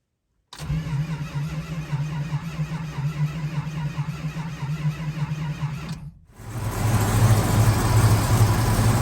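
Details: 1971 Dodge Charger R/T V8 cold start after sitting over four months, sensitive carburetor needing rebuild: long even cranking at nearly three beats a second, a pause, then it catches with a rough loud rumble; flooded, loaded-up carburetor.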